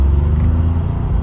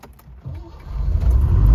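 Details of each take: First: Neglected Citroen SM starting after long neglect without starting aid or carburetor priming: deep, steady low rumble at even idle right after cranking; engine running. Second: Long-neglected Citroen SM found sitting roadside, started without starting aids. Weak cranking turns into a low rumble that swells and steadies as the V6 catches and runs.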